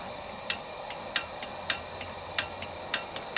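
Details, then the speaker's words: Coleman lantern: sharp piezo igniter snaps repeating unevenly, about one per second, with no ignition whoosh; the igniter sparks but fails to light the lantern. "the igniter doesn't work real great"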